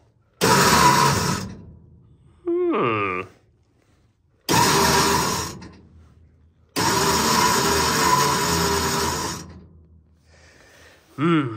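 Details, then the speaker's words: Centurion ARV with replacement batteries, isolator switched on: the main engine cranks in two-to-three-second bursts with gaps between, turning but never firing. Cause found to be a start button pushed in and stuck, engaging the starter unintentionally. "I think I found the problem the start button has been pushed and it's actually got stuck back"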